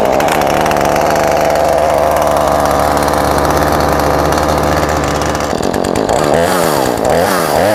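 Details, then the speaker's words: Husqvarna 435 chainsaw after a tune-up with a new fuel filter and chain tensioned, started from choke and prime: holds a steady, even high buzz for five seconds, then blips and settles smoothly; runs much better, clean and healthy. "All right, we're done with our tune-up. Runs much better."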